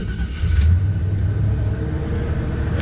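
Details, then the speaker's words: 1978 Chevy C10, sitting a while: catches quickly and settles into a steady deep V8 rumble with no misses or knocks; normal cold start idle. "Pretty good. I'm really impressed."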